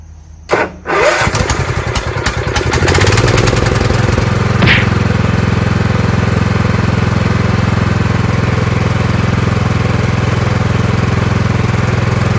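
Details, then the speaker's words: Craftsman 15/17 42-inch lawn tractor hauler with swapped Kohler Command engine, after stator/magneto and wiring harness rework and new starter solenoid: starter spins briefly, engine catches within a second and settles into a steady, even single-cylinder idle, no misses or knocks. "go that's idle sounds great so all that work for just a hauler I know it doesn't seem like it's worth it"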